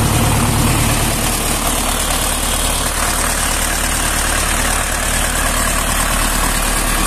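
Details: Tractor diesel after cylinder head reassembly and a blown head gasket fixed: loud, even idle with steady low chug, no knocks or misses; coolant no longer rising or bubbling, oil pressure 5.5 at 1200 rpm, running healthy.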